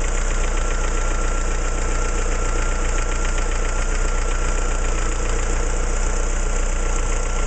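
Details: Opel C16XE engine idling: quick, moderately regular ticking of roughly three per second over a deep hum; abnormal engine noise, source unknown.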